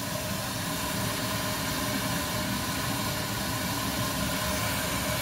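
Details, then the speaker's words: Cryo Fog high-pressure heavy fog machine with CO2 bottle, CO2 sent first to cool the hose then fog, mixed in the hose: steady even hiss and hum with no surging or sputter; normal heavy fog output. "Donc là la fumée et le CO2 est directement mélangée dans le tuyau. Donc quand elle ressort refroidie. Et ce qui nous permet de faire cet effet de fumée lourde."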